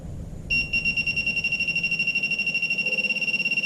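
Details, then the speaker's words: Minelab Pro-Find 35 pinpointer at sensitivity 3 over a steel bolt: a steady high-pitched tone warbling about three times a second. It is a false non-ferrous alert; the ferrous tone returns only at certain angles or distances. "That sounds like a non-ferrous target. If I turn it this way, there it goes. See, now it's giving me the ferrous"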